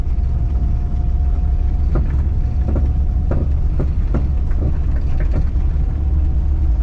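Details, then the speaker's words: Honda wagon with spherical rear trailing arm bushings. About eight sharp knocks, roughly two a second, over heavy low rumble while the car is lifted or turning. The bushings clunk; rubber bushings planned instead. "I will say one thing though do not lift your car up with spherical rear trailing armed bushings it makes a lot of noise"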